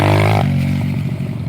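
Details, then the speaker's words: Dirt bike: after a short rev the engine drops and a loose, irregular clatter follows, chain slap because the chain tensioner's spring is broken so there is no tension; a bearing is also gone. "That's the actually the chain. So, what's happening is just the little chain tensioner is uh is loose. The spring's broken."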